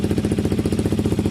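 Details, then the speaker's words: KTM 125 motorcycle with newly fitted aftermarket Black Widow exhaust, joint resealed with exhaust paste: fast even idle and revs with sharp puffing chuff each beat; small exhaust blow remains at pipe joint, clamp not sealing well. "Still got a little bit of blow here. It's not clamping too well on that one. It's not a huge blow, but it's there."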